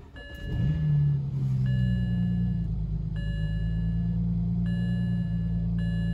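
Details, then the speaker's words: BMW 335i (N54) at cold start: a slightly uneven, wavering low rumble with RPM drifting up and down, felt more than seen; a mild rough idle that could be a failing injector but may have other causes. "now right off the bat a rough idle could be a sign of a failing injector that could be a sign of a number of things but"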